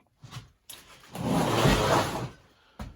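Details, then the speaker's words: Stihl MS271 chainsaw, owner reported an engine problem: a hard pull on the starter rope brings a loose, quick rattling from inside the engine as it spins over; suspected bad cylinder, not yet torn down. "and then when I give her a good pull you can hear some rattling going on so pretty sure there's something wrong with the motor on that"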